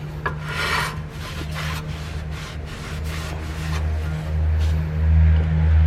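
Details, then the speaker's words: 2002-2006 Nissan Altima rear wheel after new hub assembly install, wheel spun by hand: soft rhythmic swishing about twice per second, no grinding; rotor lightly rubbing the brake pads, turns smooth, normal. "And there you have it. It turns pretty smooth. That sound that you're hearing is because the rotor is rubbing against the brake pads."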